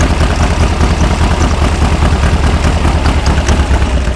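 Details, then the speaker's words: 1973 VW Beetle Super Beetle with 40 IDF carbs, restarted while troubleshooting drivability problems: even, busy flat-four idle with steady low chuff and light valve clatter, running much happier; normal idle. "let me uh twist the key and see if uh if she's any happier to run disconnect that wow you can tell how happy it is"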